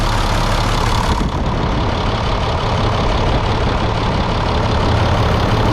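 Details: 1998 International 4700 DT466e diesel after oil and filter change, started several times that day: steady, even diesel clatter at idle, deep smooth beat, no misses or knocks; runs good, normal idle.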